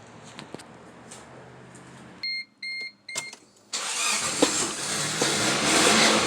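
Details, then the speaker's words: Suzuki/Geo Tracker-type SUV with suspected failing alternator, flat battery, started on a jump pack: several warning chimes, then the engine catches abruptly into a fast idle; running voltage only 9.33 V, headlights dim. "Try this again. Crud. My jump start's too low. Let's try this again."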